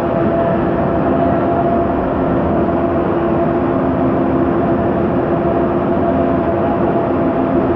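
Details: 2009 MAN Lion's Classic city bus, MAN E2876 LUH03 EEV CNG engine, ZF Ecomat 6HP504C 6-speed automatic, while cruising: steady whining tones over road and driveline rumble; whining rear differential suspected, not confirmed.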